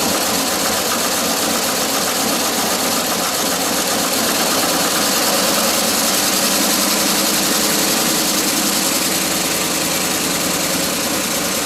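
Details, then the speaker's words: 1981 Ford F150 flareside, first start after sitting since 2007: steady idle with an uneven stumbling beat and occasional dropped pulse, a miss at idle; timing also suspected, spark plugs and oil change planned. "that's good enough for me to decide to change the oil maybe throw some spark plugs at it because it does have a miss"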